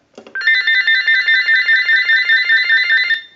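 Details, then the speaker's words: General Electric 27909 cordless telephone during final checkout after repair, ring cycle started from analyzer: bright warbling electronic ring bursts steadily with even level, no dropouts; normal ring cycle. "I want to go ahead and start a ring cycle with the analyzer so we'll start that"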